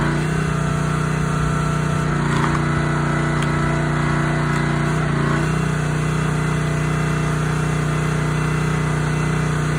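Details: Honda GX160 SplitFire wood splitter after carb clean and oil change for bogging and stalling; steady, even note with brief dips as splitter takes load, recovering smoothly each time, normal running under load.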